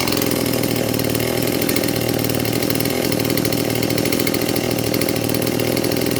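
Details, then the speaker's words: Stihl MS 180 chainsaw after rebuild with Chinese Winzor parts (crankshaft, sealant-assembled), first start on petrol-oil mix; after slight carburetor adjustment, steady even high-revving two-stroke buzz at constant pitch, no surging, running normally. "Ну вот, немножко подрегулировали карбюратор, и пила работает нормально и устойчиво."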